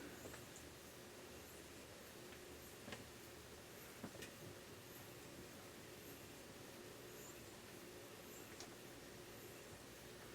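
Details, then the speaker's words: Modern Fan Co. Industry ceiling fan, copper finish, on low speed: thin, high chirp repeating roughly once a second; squeaking suspected from leftover balloon lodged inside the housing, not confirmed. "and I definitely hear a little bit of Stack balloon in there you can hear it squeaking so we'll have to get that out of"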